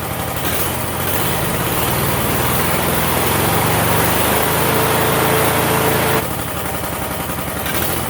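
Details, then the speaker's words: Roper 16T garden tractor twin engine under restoration, key on: steady lumpy idle, uneven beat near four per second; runs rough with key on yet smoother with key off, when it shouldn't run; low oil pressure light on at idle; cause unknown. "So it runs better with the key off than it does on, and it shouldn't run at all with the key off."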